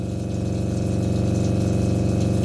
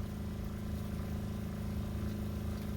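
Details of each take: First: RV water pump running with kitchen and bathroom sinks open, phone on the floorboard and then carried to the bathroom: loud steady low buzzing drone with fast pulsing rattle, pump vibration heard throughout; before fitting two 5-foot vinyl tubes to reduce noise. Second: RV water pump after adding two 5-foot vinyl tubes on each end to cut vibration, filling drained water heater: steady, soft low hum with even pulse, no banging or chatter; pump running quietly and smoothly.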